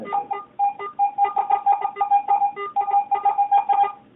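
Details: Garrett AT-Pro metal detector air test, zinc penny at about 4–6 inches from the coil, reading about 75–76. Quick chirping beeps mixed with short low blips, uneven across the sweep: the mid-range zinc penny tone.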